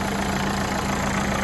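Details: Renault Fluence after starter motor replacement (old starter faulty, wouldn't crank), diagnostics plugged in: engine starts to a steady, even idle with a smooth low hum, no knocks or misses; repair successful.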